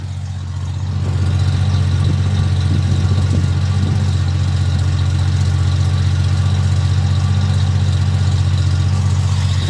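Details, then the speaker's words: 1971 Plymouth Valiant slant six with Comp 260 cam (about 260 duration, .440 lift), heard at the exhaust with heat riser rattling: smooth even idle, cam barely audible, sounds good; normal idle. "I'll listen to the exhaust the heat riser rattles in it to see you can't even hear the camp but it still sounds good"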